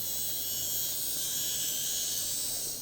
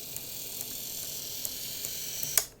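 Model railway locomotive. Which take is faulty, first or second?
second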